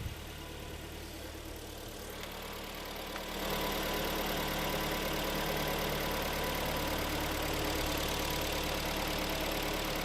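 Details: Hyundai/Kia G4KD petrol engine just after overhaul, AC compressor whistle now gone: steady, even idle with a soft rhythmic tick, no whistle or knock; normal idle.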